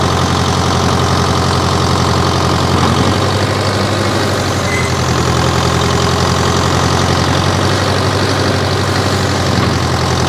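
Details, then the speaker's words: 1968 John Deere 500A diesel loader tractor (industrial 3020), parked 10+ years; RPM earlier surged, likely from old fuel. Now restarted after sitting a week on a warmer day: deep, steady diesel clatter at an even idle, no surging. Running healthy. "this thing's running like a champ today"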